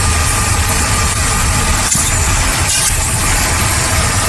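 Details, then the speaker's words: Ford Taurus with P0171/P0174 codes idles with a steady rumble and a constant airy hiss, a vacuum leak from a worn hose at the PCV valve; engine stumbled when the area was sprayed. "I think we found I found the problem right here oh I hear it hissing right here hear that there's a problem right"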